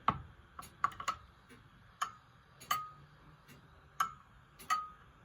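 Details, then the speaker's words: Antique grandfather clock while bending the back cock to adjust the beat, heard through an amplifier; tick and tock still slightly uneven, one gap a touch longer, getting closer but not perfect; pendulum clock slightly out of beat. "You hear it getting closer. And the same effect if you go the other way. A bit closer, not perfect yet, but you get the idea."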